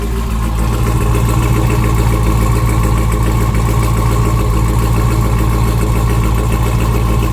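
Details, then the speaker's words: Custom twin-turbo Hellcat V8 with single Comp Cams cam, cold start; deep steady idle with slight cam lope and faint turbo whistle, hollow manifold sound of unknown cause: normal idle with faint turbo whistle. "this is a cold start but as you guys can hear run pretty smooth you hear the turbos a little bit listen"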